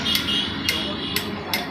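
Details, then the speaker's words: Hero Glamour bike engine with crankshaft exposed, struck by hand: four sharp metallic clacks about half a second apart, loud knock from a loose crankshaft with visibly excessive play. "और एक बार zoom करके आपको सुनाते हैं। मारिए, बहुत जोर sound हो रहा है।"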